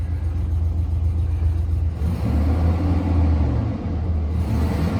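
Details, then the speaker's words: 2004 GMC Sierra 2500HD 6.0 V8 4WD, sold as a non-runner, just started with three exhaust manifold bolts missing and no coolant: a deep, even low rumble with no ticking or puffing at the manifold; running smooth and quiet. "It's pretty quiet for having 3 missing bolts in the exhaust manifold."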